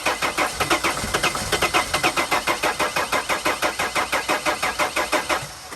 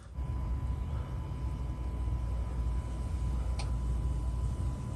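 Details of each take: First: T1N Sprinter diesel van (2000-2006): steady starter cranking with uneven firing catches that never pick up; getting some fuel but won't start. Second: 2000-2006 T1N Sprinter: with the key on, the fuel pump relay clicks and the in-tank pump under the van gives a faint steady hum for about 20 seconds, then shuts off. This is normal fuel pump priming.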